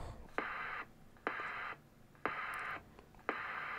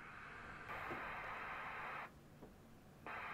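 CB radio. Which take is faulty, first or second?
first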